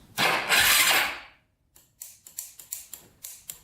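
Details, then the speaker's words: Big-bore Yamaha YFZ450 quad: short whirr then about a dozen quick clicks, roughly three a second, no cranking; battery lacks enough cranking amps to turn the engine over. "the battery still doesn't have enough cranking amps to uh turn this thing over unfortunately so you can see turn it on right now and it just does not have enough juice"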